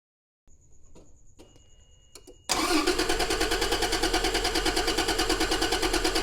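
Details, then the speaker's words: A 1993 Toyota Land Cruiser 80 Series cranks evenly at about three pulses a second but never fires. There is no spark at the ignition coil lead. "Well, no, we don't have any spark at all. So, yes, it is in fact an ignition problem and we still don't have a spark here."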